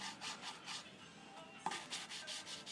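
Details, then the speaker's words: Toyota Corolla / Chevy Prizm 1.8L valve being hand-lapped with fine grinding compound after the coarse, stem oiled: rhythmic gritty rasping strokes, about two a second, still coarse. The seat is not fully lapped yet, and the pitch changes as it seats. "not getting very good section on this one there we go you do this for a little bit until till you hear the sound"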